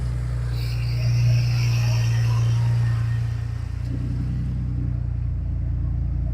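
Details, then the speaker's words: Ford F-150 idling steadily and deep, then revved a couple of times and settling back smoothly with no knocks or misses after fuel pump and starter replacement; normal idle and revving. "Sounds great. Let me step on the gas a couple times."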